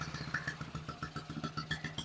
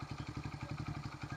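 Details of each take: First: 1974 Honda XR75, running about a minute, timing on the fire mark and advancing, still smoking: small single pops wandering and stumbling; rough idle, owner suspects insufficient idle fuel flow. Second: 1974 Honda XR75 single-cylinder, ignition timing checked on the fire mark, valve clearance temporarily raised to 0.004 in: even, settled idle with a light valve-train tick on top, now idling properly though still smoking.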